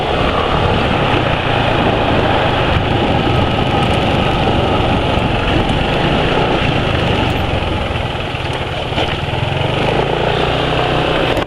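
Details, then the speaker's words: Motorcycle engine running on FK PAO/ester oil: steady, even fast-idle beat with no knocks or rattles, still quieter and smoother than previous oils at the same age; normal running. "tapi ini suaranya masih lebih halus daripada ya oli-oli sebelumnya lah di umur pemakaian yang sama"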